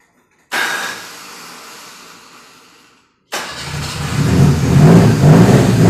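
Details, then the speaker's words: Fiat Brio that had been misfiring on three cylinders, now fixed and regulating well: after a short crank it settles into an even, steady idle with no stumbling; normal idle. "Bueno mejoró sí me había puesto dos booking cortos ahí se lo escucho bien Quedó regulando bien"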